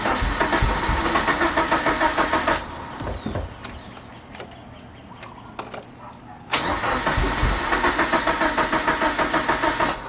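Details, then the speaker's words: Mitsubishi Evo 8 first start attempt after 8 years: steady cranking in two long bursts, never catching; fuel rail dry, 255 in-tank fuel pump dead, no fuel reaching rail. "so i took out the allen screw out from the fuel rail and it's so dry i don't know what's going on it's a 255 wall bro inside the car that i got from b m performance and it doesn't even work i mean no gas coming out of there so that's that's why we're having issues trying to start this car up"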